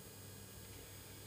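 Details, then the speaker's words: 500 W air-cooled ER11 CNC spindle with power supply, at low speed set by potentiometer, with its cooling fan blowing: steady hum with a rattly buzz because it sits loose on an unfixed wooden board, causing vibration. "par contre ça vibre un peu parce que c'est sur une plaque en bois et qu'il n'y a rien qui est fixé là."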